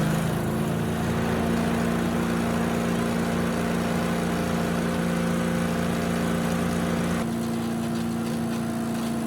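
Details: Yard Machines chipper with Tecumseh engine, restored from junk, some water still in oil: steady, even drone while chipping leaves and small branches, no misses or knocks; normal running under light load.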